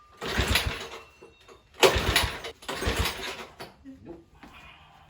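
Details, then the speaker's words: Tecumseh H35 Sears mini bike engine spun with a drill, with fuel present and a swapped CJ8Y plug: three brisk cranking bursts with no firing stroke; no-start. "I know I have fuel now, but it's still not firing. I'm turning it over with my drill and it won't go."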